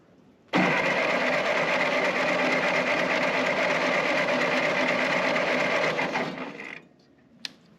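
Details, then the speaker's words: Ford 9N tractor, 6-volt starter jumped with 12 volts, all plugs in: fast, even cranking for about six seconds with steady compression pulses and no stumbling; compression sounds healthy and even. "that sounds pretty good now mind you I mean it's a 6vt starter so it's spinning like none other but that should work"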